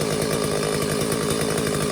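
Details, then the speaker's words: McCulloch Silver Eagle SE2016S chainsaw salvaged from the trash, after carb idle adjustment richened to cure a high idle: small two-stroke burbles at a steady, even idle, tone drifting slightly lower; sounds healthy. "See if we can make it run a little bit richer. That sounds good."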